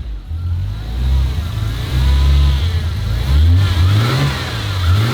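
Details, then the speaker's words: Turbo Ford Fairlane first start on a new Haltech ECU: low engine note surging and sagging, revs wandering, can't hold steady idle; ECU still learning the fuel map in closed loop, improving. "Look, it's learning the fuel map because it's closed loop. It's still struggling to hold it, but Yeah."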